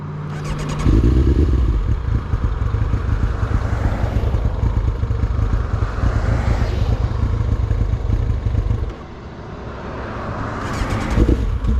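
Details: Kawasaki 1999 ZX9 runs rough with some blipping, then falls away and quits near nine seconds before being cranked again; stalling under way, owner suspects a bad fuel pump.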